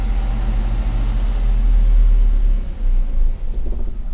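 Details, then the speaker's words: EFI car with P0105 code, after fuse F and relay F fixed: engine catches, runs a low rumble couple of seconds, then falters and dies; stalls right after starting, traced to fuel pump relay. "ya habis itu mobil Mati teman-teman berarti ada gangguan lagi"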